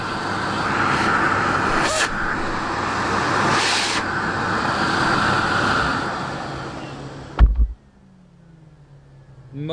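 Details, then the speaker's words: Sebo K3 Premium vacuum cleaner switched on: a steady, even rushing motor roar with no rattle or scrape, then a clean switch-off. The motor sounds healthy. "on it sounds so good it's really good"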